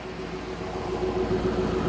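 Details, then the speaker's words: Ford F-250 on first startup of a newly installed engine, about 338 cubic inches, recorded at the tailpipe while one pipe steams: an even, steady exhaust burble with a constant mid-pitch hum and no knocks or misfires; it idles smoothly and healthily. "Listen to that, baby. That's the sound of power. 338 cubic inches now, according to calculations."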